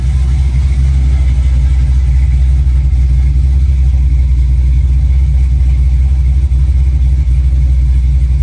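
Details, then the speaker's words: 1965 Chevy Nova V8 at first start-up after a rebuild, with a new cam and headers, in park, warming up: deep, loud idle with a gentle rolling chop of roughly four lumps a second, otherwise healthy. Lopey cammed idle. "Dude, it's got a little chop. It's a lot chocolate. I'm glad you put the cam in, actually. Sounds good."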